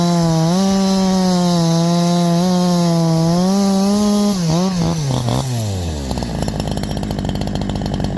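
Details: Holzfforma G372 chainsaw (Farmertec clone) after crankshaft seal replacement for a factory air leak that kept it from tuning, OEM carb fitted earlier; 24in bar, cutting hemlock: high steady two-stroke scream dropping to an even pull in the wood without bogging, runs healthy.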